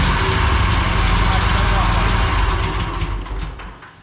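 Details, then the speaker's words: Twin-cylinder mower engine that made a racket and lost power. At light throttle just off idle, a quick light sewing-machine tick rides over the drone, then winds down; valve cover to come off for a lash check. "so what we're going to do first is we're going to pull this valve cover off and uh we're going to check the valve lash and go from there"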